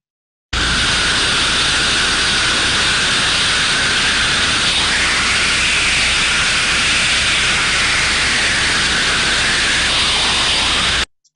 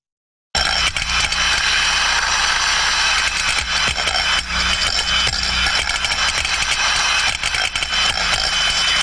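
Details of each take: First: so when we would sir then listen to the outlet of a trap that is failed we would probably expect to hear a high level of turbulence with no change in the sound this is the sort of sound we would pick up in that case Second: Free-floating thermostatic steam trap, normal operation, higher condensate level in trap: steady continuous flow turbulence hiss with light irregular knocks of the floating ball against the chamber side as it floats on condensate.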